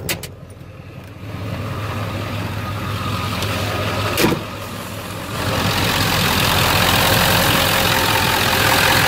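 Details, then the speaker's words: 1997 Ford F250 HD 7.3 diesel after replacing the valve-cover injector harness connectors (bent pin had caused #1 and #3 injector misfire): steady, even idle with no misses and no shaking; power restored, normal diesel idle. "way smoother as you can see it's not shaking nearly as bad that's just normal engine before it was like all over the place truck's stable"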